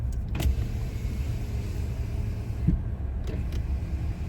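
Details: 2025 Toyota Tacoma passenger window after a 26°F overnight hard freeze, cold start: low, smooth motor hum as the glass travels over idle, no grinding or squeal; window operating normally.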